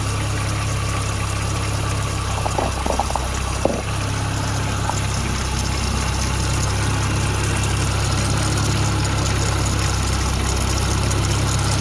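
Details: Supercharged Toyota 22RE after bypass valve fix, with hard piping and crush-proof couplers replacing silicone tubes that sucked closed and caused rich running: smooth, even idle with a steady low hum after a brief early clatter, no sucking or flutter; normal idle.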